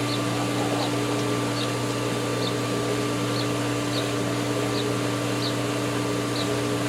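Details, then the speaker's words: Airlocked pool pump purging air as the system refills including solar, getting trickles of water, chlorinator shaking: steady motor hum with faint hiss and light gurgles about once a second; running airlocked, said to be okay. "it's getting little trickles of water in there so it's okay now and again you'll hear it go yeah hear it chlorinator is shaking like mad which indicates that we're purging air"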